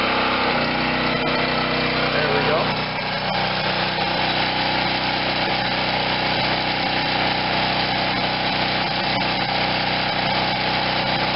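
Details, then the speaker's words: Wen 4050 generator with new carburetor under a 1500 W space-heater load on one side, under half load; steady, even drone with no hunting or misses, running healthy. "this is with the 1500 watt load so it's always above i don't even have half a load on the generator yet so under a full load it would go less than this"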